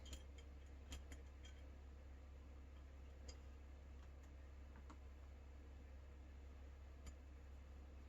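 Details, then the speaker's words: Clipless bicycle pedal spring tension adjuster being backed off: a few crisp faint quarter-turn detent clicks at uneven intervals over low room hum; normal, clicks vanish when too loose. "so it's got these little quarter turns that you can hear and feel. And you'll know when it's too loose because you won't feel the quarter clicks anymore."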